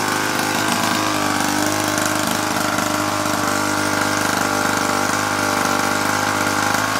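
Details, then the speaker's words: 1950s child's go-kart small single-cylinder engine, long stored, oiled and started on choke, raw fuel leaking: steady buzzy run at constant speed without stumbles; sounds good, mixture still to adjust. "Good. Sounds good."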